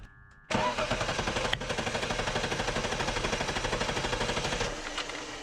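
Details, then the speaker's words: BMW E46 drift wagon during compression test, fuel pump fuse removed, wide open throttle, cranking about five times; even strong cranking around three beats per second, equal pulses, reading about 200 psi; normal cranking, coolant loss still unexplained. "it cranks really nicely so i don't really suspect that it has a little compression"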